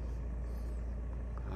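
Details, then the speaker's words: Used car engine check: idle holds steady with AC switched on; low even rumble, RPM rises when AC engages and does not drop, no hunting or dips; only the throttle sound rises, healthy engine. "kemudian suara mesin tidak ada perubahan tetap stabil Ya hanya suara gas saja yang naik"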